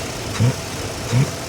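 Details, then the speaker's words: 1963 Corvette C2, numbers-matching 327/340 hp solid-lifter V8 with 4-speed manual, after a full tune-up with new plugs and an Edelbrock 650 CFM electric-choke carburetor: deep steady idle rumble with even lopes, no ticking or knocking, healthy. "this engine has has a full tuneup and we got this thing dialed in and running really strong just how a 340 horsepower engine is supposed to"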